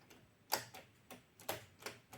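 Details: Cassette deck/radio bought from Japan, during rewind: irregular sharp clicks about every half second. It now clicks constantly, stop doesn't work and it won't release the cassette. The mechanism is suspected to be slipping or failing to engage.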